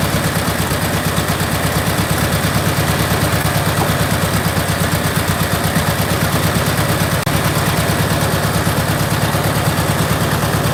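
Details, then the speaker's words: VW Beetle after a tune-up and valve adjustment. Uneven, lumpy idle with irregular low thumps comes from an intake manifold boot leaking vacuum; tightening the clamp didn't help, so the boot needs replacing. "So guys, if you can see that boot needs to be replaced. Tightening the clamp did not help the situation."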